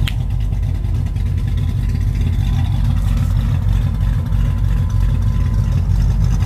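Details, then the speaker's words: Freshly rebuilt 1967 Pontiac Tempest V8 once oil pressure reached the top end, with exhaust leaks fixed: a deep, even burble with no ticking. The valve train noise has quietened, giving a normal idle. "it just took a little while to get oil pressure up to the top of the engine much quieter now"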